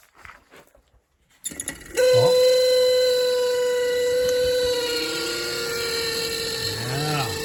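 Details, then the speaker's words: 1976 Ford F-250 with a 390, heater fan switched to defrost: a steady, high, nagging whine holds one pitch once the fan is on. The old heater blower motor is worn and sounds horrible. "Look at that old whiny thing. He's got defrost. That's what he wanted. That motor sounds horrible."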